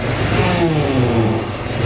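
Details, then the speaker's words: Car with power steering, engine running after bleeding air from the system, with a massive leak underneath; wavering, groaning whine sliding in pitch, and full steering lock nearly stalls the engine; owner suspects a failing power steering pump. "Is that a failing pump? Is my pump broken? Because if I full lock it, I can stall out the car."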